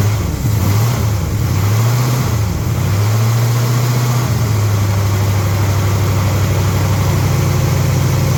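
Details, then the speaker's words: Big-block Ford V8 with 750 CFM Brawler carburetor, just cold-started after a freezing day outside, carb about 23°F, intake runners around 20–23°F: deep idle sags and hunts before settling; carburetion cools the intake charge, making it run rough until warmed. "So, it is doing what carburetors do, which is cooling off the intake charge as the air and fuel mix. That's also what makes it run crappy when it's cold outside, so it gets warmed up."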